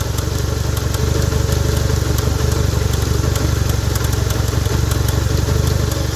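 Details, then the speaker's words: Honda 160-line engine (Bros/Titan 160) idling, cover open: fast steady metallic clatter about four per second as the chain guide shakes; cam chain slapping, caused by a worn tensioner. "corrente de comando batendo mas o problema é o tensionador esticador tensionador"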